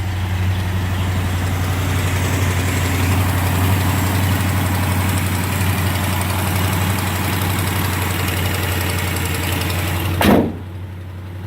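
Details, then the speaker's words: Restored 1987 Jeep Grand Wagoneer at idle, 23 degrees, hood open, after mechanical work, new hood insulation and new muffler replacing old glass packs: smooth even low idle pulse about four beats a second, quiet, no exhaust rasp or drone; normal. "that hood insulation you can really tell how quiet this car is"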